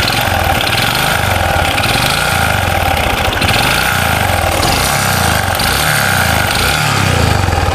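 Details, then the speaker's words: Honda Supra 125 with rough engine noise: each rev blip brings a harsh, rapid rattle swelling with rpm, worse when ridden; mechanic's provisional guess is connecting rod or piston pin area, suspected big-end knock. "Ini kalau dipakai Jalan suaranya lebih dahsyat lagi nih kalau Langsa kayak gini ada suara klek klek kayak gitu"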